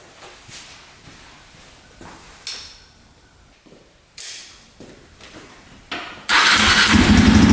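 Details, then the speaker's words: 2003 KTM SXC 625 Supermoto single-cylinder, which previously wouldn't run right, on choke after a carburetor clean to clear a possibly clogged passageway. Several kick attempts, then it catches at about six seconds into a steady, even, crisp running note. Normal start and idle. "that sounds a lot better. Let's see what happens when we hit the throttle."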